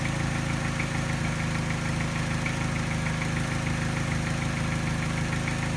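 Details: Mini at idle with a light, regular tap about three a second over a slightly uneven beat; tap disappears above 1200 rpm. Slight miss not picked up by scanner, vibration coinciding with tap. Persists after timing chain, tensioner and piston rings replaced; cause unknown.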